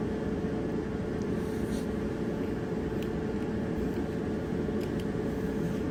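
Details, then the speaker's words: Dryer that made a wobbling noise, after drum roller replacement: steady, even rumble and hum with no rhythmic thump or wobble knock; drum turning smoothly, normal drum rotation. "okay here's the before sound before the roller was replaced and here's the after sound after the roller was replaced"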